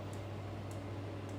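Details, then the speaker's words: Maxpeedingrods 5 kW diesel air heater with the later fuel pump, cold weather, weak battery: soft, evenly spaced clicks about twice a second over a steady low hum; very quiet normal fuel pump ticking. "that is a very quiet click and that is because it's the later fuel pump"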